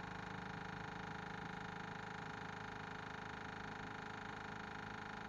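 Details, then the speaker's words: 1979 Ford F800 dump truck with a broken 429 and a gummed-up carb, engine off: fast, even ticking from the electric fuel pump priming the carburettor with gasoline, normal. "all right that clicking you hearing is the fuel pump there's gasoline in this not too short mix"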